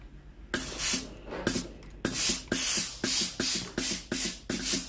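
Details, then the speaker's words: Philips GC9622/20 steam iron after testing the water pump (customer reported no steam): sharp hissing steam bursts about twice a second over a low pump buzz, steam now normal, though the steam switch is faulty and will be replaced. "ตอนนี้ไอ้น้ำออกปกติแล้วนะครับ"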